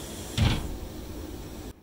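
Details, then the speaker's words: Water hammer in household plumbing: one heavy deep bang as the wall-hung WC cistern fill valve shuts. Arrestors already on the manifold help little, so one is to be fitted at the cistern. "voilà entendu coup là ça comme un bon coup de bélier là on est côté installations"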